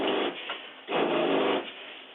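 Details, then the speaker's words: Vintage Cruiser 19 ERD trailer fresh-water pump switched on at the tank monitor panel: the motor buzzes in short surging bursts, cycling about every second. Faulty pump check valve, which also lets city water backfill the fresh tank; to be fixed. "now if you hear mine this is what it sounds like when you have a faulty check valve in the pump which i'm going to fit"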